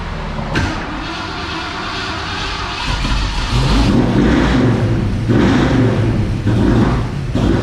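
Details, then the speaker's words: 1970 Ford Mustang Mach 1 engine, first fire-up after new cam install: revving up and down with a rough, uneven knock under each rev; worn rod bearings with excessive slack hammering. "what's the verdict hey you probably don't want to hear it well we kind of didn't know nothing about this motor anyway yeah that was in the day we used to call it a gobbler turkey gobbler"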